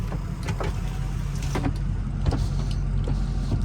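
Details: 2005 Ford Excursion Eddie Bauer 6.0L Powerstroke diesel, 185k miles, engine running, AC turned down: power windows' motor hums with the usual whir and clunks as the glass travels and stops; the windows work normally.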